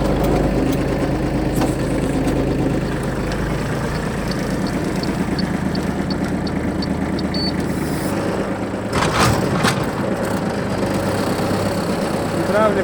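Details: Shibaura D215F Japanese mini tractor, 21 hp three-cylinder, 754 engine hours: just started, an even diesel chug at idle with a steady low rumble and no knocks or rattles; runs properly with no extraneous noises.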